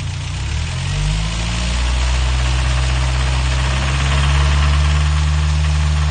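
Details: Toyota 22RE engine at idle: steady heavy clack about four per second over deep idle rumble, staying even as revs settle; owner doesn't think it's loud valves, source unknown.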